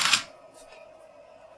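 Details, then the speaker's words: Mercedes S600 throttle body with ASR on the bench, simulating a bad clutch coil or an E-gas module not energizing it: one short whirring buzz as the throttle motor spins once, then silence as it shuts down and the car would go to limp mode. "that's what happens throttle body shuts down car goes to late mode so that's what you should hear if the clutch coil is better the throttle body is not energized by e-gas module or e-gas module is bad"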